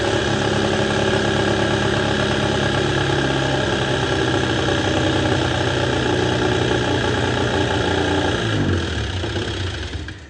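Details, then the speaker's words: Arctic Cat JAG 3000 snowmobile, abandoned, first start after sitting: uneven two-stroke idle with loose metallic clank before stumbling and dying, probably bad gas in carb; clank went away after a minute of running; owner suspects stuck hex clutch not engaging. "So I ran the snowmobile a little bit, probably like 10 minutes or so, and after a minute the clanking sound went away, and so ran for another 10 minutes."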